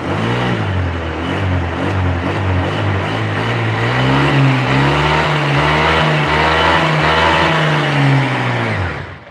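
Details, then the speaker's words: Honda Vario scooter that ran poorly cold but fine hot, after fixing compression leak: cold engine revs climb quickly and hold smoothly with no stumble or hesitation; now normal. "nah ini langsung naik Pak rpm nya kan ini nggak ada rpm nya bapak bisa lihat spidolnya dari putaran roda belakang bahwa peningkatannya itu cepat nggak ada ketahan dari suaranya"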